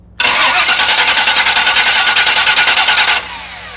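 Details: Car with performance starter, battery at 12.8 V and over 11 V at the starter battery terminal while cranking: fast, even cranking whirr with steady compression beats, no slowing or clicking; the starter turns the engine properly.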